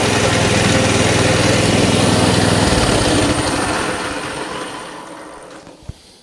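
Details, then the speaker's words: Coleman CT200 mini bike with non-adjustable carb that lurches off when started, clutch ruled out: single cylinder idles at 2450 rpm against a 1700 ± 150 rpm spec, fast steady buzz then winds down; high idle speed. "these should idle at 1700 rpms plus or minus 150 rpms so nothing has changed since i first showed you what we were doing so let's start it up again 24.50 that's idling supposed to be idling at 24.50"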